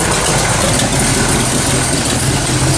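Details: 1979 AMC AMX, AMC 304 V8 with long tube headers, no choke, before repair: lumpy idle with sharp ticking over exhaust burble, typical of a header leak from missing bolts and a blown gasket.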